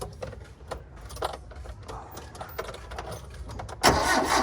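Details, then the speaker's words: Engine that won't start after sitting two weeks: scattered clatter, then a burst of cranking that spins without firing. No fuel reaching the engine, pump not delivering, suspected dirty fuel filter; spark plugs also replaced. "Walang parang walang umakyat filter. Fel filter madumi hard starting. Walang umaakyat na gasolina ano kaya?"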